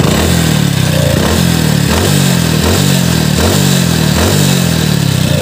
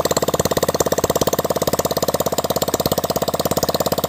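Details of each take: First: Splendor single-cylinder before engine rebuild, warm idle (rougher on morning cold start); steady light knock about every half second over busy top-end clatter at timing chain and head. Piston slap and timing chain noise. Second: Hero Splendor single-cylinder after full engine rebuild, oil pump serviced and gasketed, clutch refitted, first start; fast even beat about twelve pulses a second, no knocking or missing. Normal idle.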